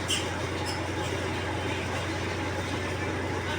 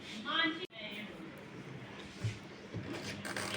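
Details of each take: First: Godrej 7 kg semi-automatic washing machine spin motor, running empty at full speed after its cutting-out fault was fixed: loud steady whirring roar with a low hum. Spin motor buffer is jammed. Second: Godrej 7 kg semi-automatic washing machine spin motor, after fixing jam and oiling: steady, even hum at full spin speed, rising smoothly with no rattle or vibration; normal spin after repair.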